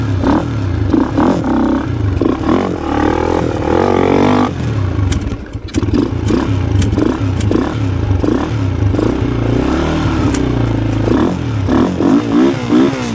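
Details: Yamaha Blaster two-stroke ATV that ran badly and bogged, after carburetor cleaning: buzzy engine picks up and drops revs repeatedly on throttle blips, climbing without bogging or stalling; running better, normal running.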